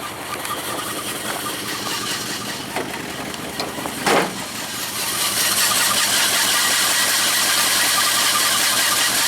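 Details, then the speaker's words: 1976 Jeep Cherokee Chief AMC 401 V8, muffler back on, morning run: steady, even idle with no lifter tick from the top end, no smoke; sounds good. "I don't actually hear the lifter tick this [Music] morning that's okay with me"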